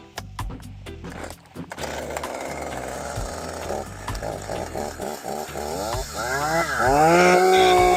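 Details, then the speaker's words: STIHL MS201TC chainsaw after complete engine rebuild for zero compression and a no-run condition: sharp pull-start bursts, then catches, idles evenly and revs cleanly up and down. "I'd say that sounds pretty good. back up and running."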